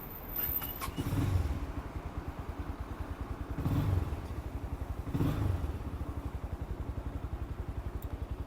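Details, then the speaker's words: New 2024 Forte CKP 250 motorcycle, started without throttle and then with choke pulled: starter churns at a steady rapid beat with a few brief catches that never take; engine cranks but won't start. "Давайте заведем його без газа вообще він не заводиться"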